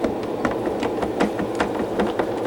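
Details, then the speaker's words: Black HMV 102 gramophone, spring motor wound and run before servicing: quick uneven wooden knocks and rattles over the running motor, caused by loose screws; needs a full motor service. "anybody see a problem here okay that's not good that should not be"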